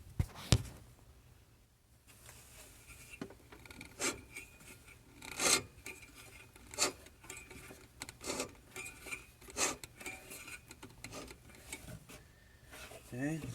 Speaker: so that is the scraping, rotating counterclockwise. It scrapes both directions, but that's gotten too tight for me to rotate any further.